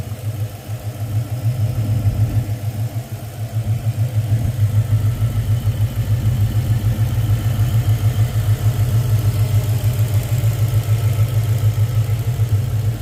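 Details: 2000 Ford Explorer 5.0 302 V8 AWD running: deep, slightly uneven pulsing drone around three beats a second, no clear knock; abnormal engine noise, cause unclear.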